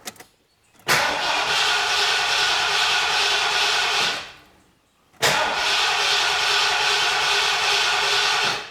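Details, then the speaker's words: Carbureted 460 Ford Bronco with new MSD Atomic EFI, first start: two long cranking bursts of about three seconds each that don't catch, air in the fuel system, before the air purges and fuel pressure reaches 41–42 psi. "Kind of like I thought, a lot of air in that system. Let's go to the dash. Sounds like the air is finally purged out."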